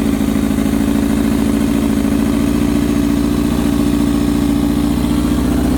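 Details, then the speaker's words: Honda CBR600 F4i inline-four after fixing a no-spark/no-fuel fault with a new ECU, wiring harness and ignition-switch zener diode, warming up after startup: smooth, even idle with a steady low drone, no knocks or misses; normal idle. "let me get you a little startup which I hear the gas tank prime oh that sounds so good man"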